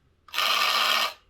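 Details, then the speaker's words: Hornby Class 142 Pacer model railcar: harsh high-pitched rasping buzz during a brief run, far coarser than the identical second car; noise stayed with this unit after its motor bogie was swapped, worn worm gear grinding. "um because i want to look at this noise issue that it has yeah that just doesn't sound right when you compare it to the other car that's what it should sound"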